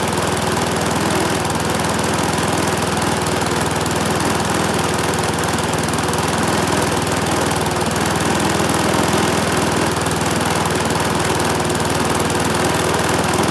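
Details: Briggs and Stratton single-cylinder mower engine, serviced after oil starvation or neglect, holds a constant speed with a smooth, unbroken, even beat; runs healthy.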